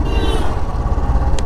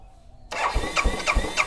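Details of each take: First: Royal Enfield motorcycle that also had starting and stalling troubles and a relay replaced: uneven single-cylinder exhaust thump with dropped and bunched beats; misfiring, which the owner blames on the fuel injection. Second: Royal Enfield motorcycle that would not start for 15 minutes, FI not switching on; after replacing the relay, starter cranks steadily at about three pulses a second, pauses, then engine catches and fires evenly; normal start.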